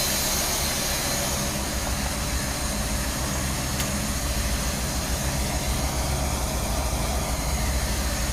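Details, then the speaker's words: 1976 Dodge W200 3/4-ton truck, first startup after complete teardown onto a new chassis with fresh fluids: steady, even low rumble with no knocks, misses or ticks; smooth, healthy normal idle. "and that's me turning the key you can hear the pumps [Music] Prime music [Music] playing and there it is running again"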